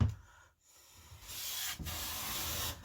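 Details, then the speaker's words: Hand plane after fixing a cupped blade-seat problem that made shavings come off the corners: two long, smooth hissing strokes with even shavings now centred, skipping over the high points. It is cutting cleanly. "so as you can hear just skipping over the higher points we won't adjust it"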